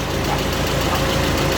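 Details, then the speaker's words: Audi TT Mk1 1.8T quattro 225 bhp, 6-speed manual, after fixing an engine rattle previously heard at idle up to about 2300 rpm; steady even idle with no chain rattle or tapping. Normal idle after repair. "fingers crossed we're looking for no rattle [Music] so it's a fix absolutely awesome"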